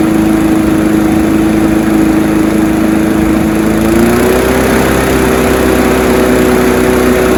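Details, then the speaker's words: Honda HR173 push rear-roller rotary lawnmower after a detailed carb clean, started on choke: the single-cylinder engine catches and runs steadily, settling slightly higher after a few seconds; it revved high on start, which these all do; runs normally. "So as you just seen, everything is all good. When it revved up high when I started it, they all do that."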